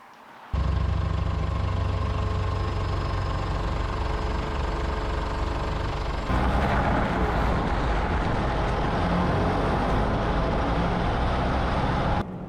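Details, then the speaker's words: 2007 Ford Ranger PJ test drive after replacing all three rear driveshaft universal joints: steady low drone, earlier low-speed squeak gone and less steering-wheel vibration; driveline sounds healthy. "yes and just like that my squeaky noise has gone completely there's way less vibration coming through the steering wheel"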